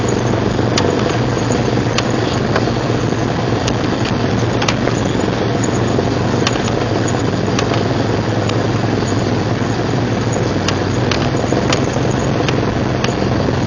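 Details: 1999 Jeep Cherokee XJ, 6.5in lift, Dana 30 front axle: steady rough rumble with sharp irregular ticks about a second apart, grinding from front only in 4WD Hi and Lo, worst under load; persists after new U-joints, rebuilt differential and driveshaft; cause unknown.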